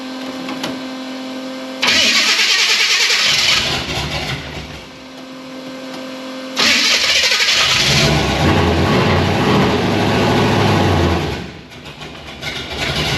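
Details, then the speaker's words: Supercharged V8 Chevy C10 on carburetors after sealing vacuum leaks, air filters off: crisp throttle blips dropping back to a lumpy idle, carburetors now controlling it since it no longer pulls unmetered air; normal running. "Hey, the carburetors are telling it what to do. Weird. When it's not pulling air from places it's not"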